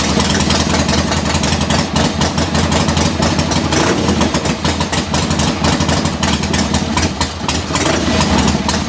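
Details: 1976 Harley-Davidson Ironhead Sportster V-twin after static timing was reset with new points and condenser, cold start in neutral, mixture screws out about 1¾ turns: catches and settles into a loping, slightly uneven idle with a few throttle blips; normal idle.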